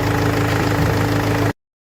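Loud, raspy engine roar with a puffing, chuffing edge that follows the engine speed; exhaust escaping past the manifold gasket.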